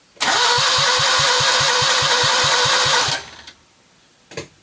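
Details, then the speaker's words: Citroën 2CV spare engine, unused for years, cranks evenly at about four compressions a second but never catches. Weak spark after re-gapping the points, which have no spring left and aren't closing; a 123 electronic ignition is to be fitted. "Still not seeing a fat load of spark there though. Okay, I'm going to have to fit the electronic ignition. These points seem to have no spring left in them."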